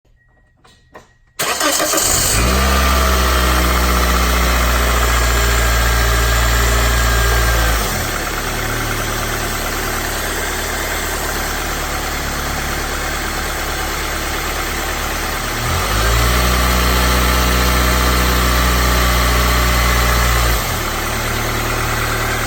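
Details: 2004 Toyota Corolla petrol engine after replacing the belt tensioner assembly starts cold and settles into a smooth, steady idle with no growl or belt noise; the old tensioner likely caused growling when cold and put into gear.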